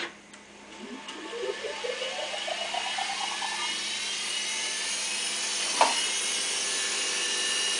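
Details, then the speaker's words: Studer A80 reel-to-reel master recorder, ex-BBC editing machine, rewinding: as the reels spin up a high-pitched whine climbs and holds, suggesting the roughly 20 transport bearings have not been replaced; cause suspected, not confirmed. "Now that indicates that maybe these bearings haven't been replaced, because you can hear a high-pitched whining noise."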